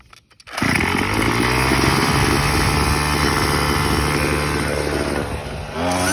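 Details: Craftsman WS210 weed eater, long-running carburetor trouble despite repeated cleaning: catches at once and buzzes steadily about five seconds, then sags and falters; stalls after starting.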